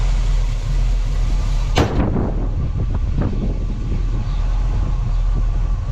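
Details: 1967 Camaro RS storage-unit find with a small-block 350 and Turbo 400 transmission, being revived: a deep, even V8 rumble holds steady with one sharp knock early on; the engine sounds healthy, though the cooling fan wasn't spinning.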